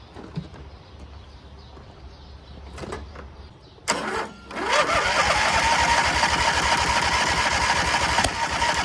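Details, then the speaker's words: MTD Gold garden tractor with 26 hp Briggs & Stratton, left sitting: cranks, coughs, then runs on gas poured down the carburetor; suspected fuel not reaching the carb. "we got fire kind of seems like we don't have fuel get to the carb"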